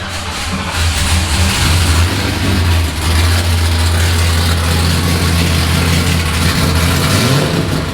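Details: Nissan S15 first start-up with newly built exhaust installed: engine catches and settles into a deep, fairly steady idle with a throaty low exhaust rumble and no knocks or ticks; runs healthy, normal idle.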